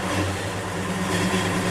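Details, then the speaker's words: Cold 1963 Chevy 1-ton flatbed truck idling after sitting overnight at about 48°F; it has no choke, so it needs the throttle feathered. Low, slightly uneven rumble that won't settle, rough cold idle until heat builds. "That's pretty damn good for sitting overnight. You can hear she's not happy. A little heat built up into it."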